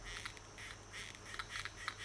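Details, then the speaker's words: Xinlehong Q903 RC truck after about a week of sand and dirt running, air-filled rear shocks: short squeaky creaks in bursts as the suspension is pushed and released; creaking shock absorber, freer than the fronts. "while still still sounding bad well i mean they're creaking a bit they're a lot freer than what the fronts are"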